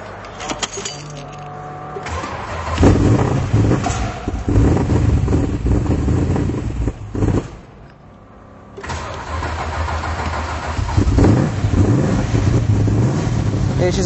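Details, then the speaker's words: 1972 Chrysler Valiant E55 VH Charger, modified V8 (solid cam, forged pistons, 11:1 compression, 450 hp), 727 transmission: starter spins a couple seconds, catches into a loud, lumpy cold idle that settles and runs steadily; normal cold start. "cold so it takes a while to warm up these old cars not like the new ones so yep that's how she sounds like"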